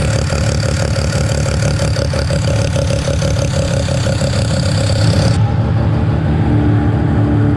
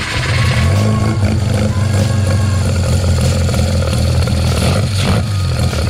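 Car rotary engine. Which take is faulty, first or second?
second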